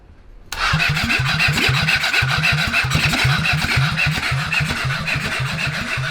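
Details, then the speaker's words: Honda CB750 SOHC engine swapped into a Suzuki Quad Sport 230, first run in years, fresh 10W-40, brake-clean spray, borrowed battery: brisk cranking about 3.5 pulses a second, faint sputter, no start. "what was that i heard it sounded like it sputtered just a little bit did you hear that yeah yeah it did sputter a little bit"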